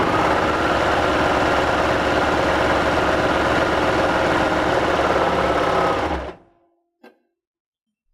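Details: Baby Lock serger running after the air tubes were reopened, following an earlier wrong sound with the tubes left closed after air threading the loopers: quick, even stitching rattle, smooth and unlabored until it stops. Normal running.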